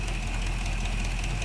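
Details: 1975 Chevy C10 first start after brake, steering and intake work, timing being set, oil not yet changed. Idler pulley freed up and is quiet; plug weeping. Steady, even V8 idle with deep smooth rumble, no miss or knock: normal idle.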